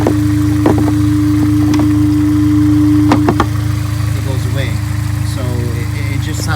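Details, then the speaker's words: Honda S2000 idling with a new OEM-style K&N filter in the modified stock airbox: steady, even low drone, no intake whistle left once the box is back on; normal idle. "Now that the car has the air filter and the car is on, it has like a whistling sound to it."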